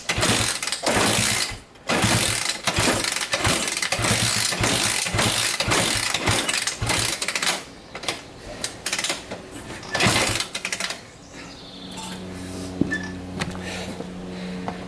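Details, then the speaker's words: 1987 Honda 250X after new valves and a new coil (the old coil wire was broken), with fresh gas: repeated kick-start strokes with a ratcheting clatter about twice a second, but no catch. Cranks but will not start; it took about a thousand kicks. "i kicked this thing over probably ah probably a thousand times before we got this into run"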